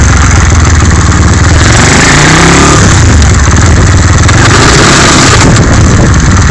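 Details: Gearbox noise: loud rough low clatter under heavy revving, only when shifting into second gear, on a Skyteam 125cc motorcycle engine.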